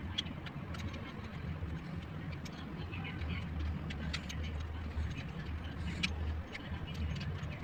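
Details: 2017 Honda Civic idling with light, uneven ticking and chatter over the hum from a worn idle pulley bearing on the fan belt; fixed by replacing the idle pulley.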